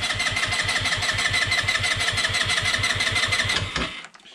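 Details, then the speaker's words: Peugeot Django 125 scooter with newly fitted, bone-dry replacement carburettor (vacuum-operated fuel pump), cranking with brake held, no throttle: steady starter churn about three beats a second, no catch, then stops; won't fire yet. "now obviously this this carburetor is gonna be absolutely bone dry um and as a consequence of that it uh it may take a little while for fuel to come out"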